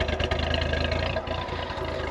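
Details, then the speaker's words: 1993 Nissan D21 KA24E just after replacing fuel injectors with new Hitachi ones and priming the rail, mic by exhaust: idle thumps slightly unevenly with occasional soft dips, still a little choppy; owner suspects distributor positioning/timing, unchecked. "You can hear that it's still just a little bit choppy if I bring you in here by the exhaust."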